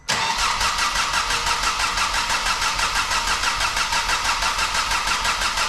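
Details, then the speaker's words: Priming crank of a barn-find Ford Focus ST with the fuel pump fuse pulled to circulate oil, on a jump pack: steady starter whir with even pulses and no firing; compression sounds equal on all cylinders. "Well, that sounds good anyway to start off with. Sounds good, does it? Yeah, it sounds good. It's got compression on all cylinders."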